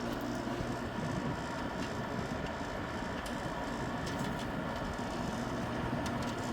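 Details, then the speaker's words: Newly installed 6,000 BTU GE window air conditioner started up: even steady hum and airflow rush with faint background vibration, a little vibration as usual; sounds pretty good, running normally. "Got GE installed. Let's start it up. Sounds pretty good."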